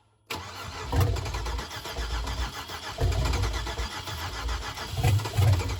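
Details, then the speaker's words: 2005 Chevrolet Suburban LS V8 donor, low on gas, first start attempt: starter cranks steadily for several seconds with uneven chuffs but never catches; extended crank, no start. "give it a shot now when you're giving it fuel it doesn't do anything right like giving it throttle yeah"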